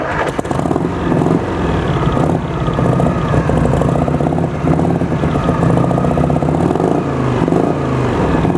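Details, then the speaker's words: 1973 Harley-Davidson FLH Shovelhead, about 41-42 years old, near-mint and for sale, started up and idling: loping, even potato-potato beat, steady and strong with no knocks or ticks; healthy engine. "Så lad os starte den op, og lad os lytte lidt til den her shovelhead, som er en 41-42 år gammel, og se hvad den kan."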